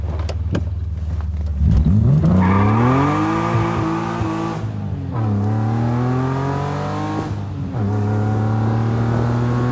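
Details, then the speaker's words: BMW S52 engine swap, first runs after the swap: three hard rising pulls spinning through first, with a crisp, even note and no misfire or knock. The engine sounds healthy, though the transmission won't shift into reverse through third. "But yeah, she rips, she spins through first, sounds phenomenal."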